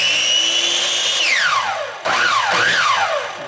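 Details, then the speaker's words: Craftsman 10-inch miter saw, intermittent start: motor whines up, drops away, surges and dies unevenly; failing switch partially engages then triggers brake circuit, fixed by replacing switch; intermittent start from faulty switch. "all right now i pushed the safety i pulled the trigger and it's not going off oh now it's going [Applause] i've got to squeeze it a little harder and i think the reason is probably the way it's interacting with the safety"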